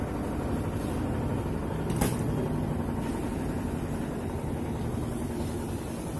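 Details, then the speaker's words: Whirlpool White Magic Pro XL 800s washing machine in spin after repair: a steady, even hum with no rattle. The earlier knocking was fixed by taping down a loose plastic part with double-sided tape. Vibration suggests a shock absorber problem remains. "जो आवाज़ पहले आ रहा था आवाज़ अभी नहीं आ रहा, problem solve हो चुका है इसका।"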